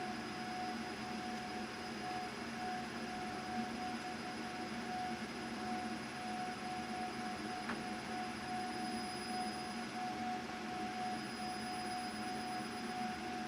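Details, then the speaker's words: CO2 galvo laser marking in EZCAD during focal distance testing: loud, steady, clear high ringing tone at the 5 frequency over a faint hiss, indicating clean marking at correct focus. "All right, that's nice and loud now. I can really hear it ringing out at the 5 frequency."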